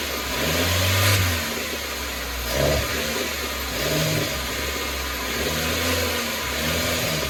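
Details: Chevy (Geo) Metro after ignition system replacement: revs climb and sag in repeated flat, laboured blips; bogs under throttle, power loss worsening since fuel tank change, new ignition didn't fix it, cause unclear.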